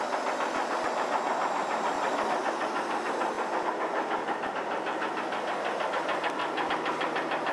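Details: 1983 Chevrolet S10 4x4 2.8L V6 running with a sharp, fairly regular deep metallic knock about three per second; owner reports rod knock on cylinder 1, worn rod bearing.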